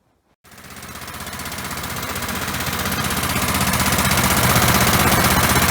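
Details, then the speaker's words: Briggs & Stratton engine (1978 per code number, size unknown) on an auction-bought hydraulic rescue pump, started with a little gas primed in: fires right up easily and settles into a fast, even beat of about four firings a second, no misses or knocks; little smoky, probably long unused; normal running. "you see that one fired right up pretty easy I just put a little gas down there and made sure I had gas in the fuel tank and it fired right up little smoky probably hasn't been running a while"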